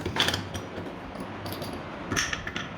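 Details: Ceiling fan: light, uneven metallic ticks about every half second over a soft whir, an intermittent tick whose cause is not pinned down; a bearing problem is suspected but not confirmed.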